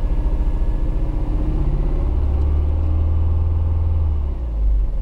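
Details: Recorded inside a 155: deep, uneven, lumpy rumble that never runs smooth; the engine is misfiring, missing on a cylinder.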